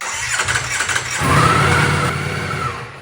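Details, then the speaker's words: Wrecked 2024 Ducati Panigale V4 rebuild: starts with a rising bark, then revs sag and it dies when given gas; starting with throttle held halfway open is tried, still not good. "then it dies if I give it gas but if I hold the throttle halfway open and hit the starter button check this out take two not good"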